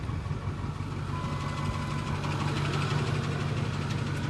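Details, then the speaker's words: Truck just after starting, before a two-hour haul towing a rebuilt trailer: brief tapping knock about three a second over the idle then fades; known intermittent engine knock, cause unknown. "But now it's gone. It's an intermittent knock. not an always knock."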